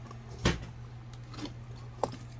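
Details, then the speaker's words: Electric scrap wire stripper, about 1.5 years old: steady motor hum broken by two sharp, heavy clunks about 1.5 s apart; the cutting blade has come loose from its adjustment screw. "the blade has come loose, and what can end up happening, if I give you guys an angle here, is in this part right here is where the blade is, okay?"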